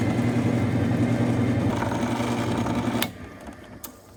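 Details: 1952 Craftsman lathe, 1/3 hp motor drawing about six amps, first start-up after being given: steady low even drone with no knocks or squeals, then switched off and spins down quietly; normal motor run.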